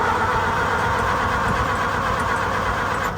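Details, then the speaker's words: Farmall M tractor, choke out: steady starter churning about four turns a second with no firing; cranks but won't start, owner suspects ignition points. "Probably gonna have to go checkpoints. That's not doing anything."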